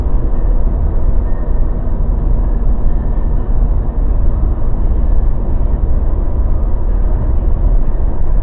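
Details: Mazda BT50 pickup driving after fixing clunking, grinding, cracking noise that began after driveshaft cross joint and center bearing replacement, repair involving upper ball joint and differential oil: steady even road rumble, no clunks, grinding or cracking; quiet drivetrain and front suspension.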